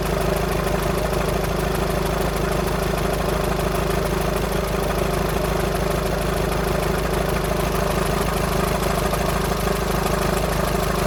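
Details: VW Sharan 7N 2.0 TDI common rail diesel (CFFB), cold start after new timing belt, injectors refitted and fuel lines drained without bleeding; light metallic rattle ticking about twice a second at idle; owner suspects tensioner pulley, unconfirmed.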